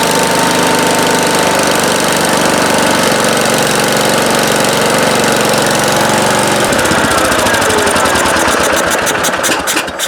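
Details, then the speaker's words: 1971 John Deere 140H3 with single-cylinder Kohler K321, after carburetor rebuild and new float (fuel had been pouring out): steady thump about four beats a second at low idle, picking up smoothly on throttle; running normally. "Yeah, that sounds pretty good. It was running pretty good at low idle."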